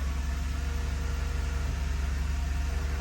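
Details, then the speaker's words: 2013 Toyota Sienna Limited idling after replacing the water pump, idler pulley and serpentine belt: steady, even low idle hum with no chirp, squeal or rattle; noise fixed, normal idle. "all right mission accomplished no more noise from the engine compartment problem water pump and idler pulley"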